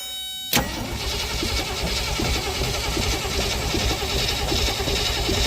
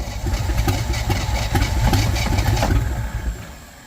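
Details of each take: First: Willys CJ5 (around 1971) with AMC 304, sat for years, cranked via Power Probe, ignition coil not yet fitted: starter churns steadily about eight seconds, never fires; oil present but dirty. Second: Willys Jeep started after sitting many years, running on fuel poured into the carburettor vent, fuel pump supply not yet connected: uneven chuffing beats about four a second that sag and fade after three seconds; briefly runs.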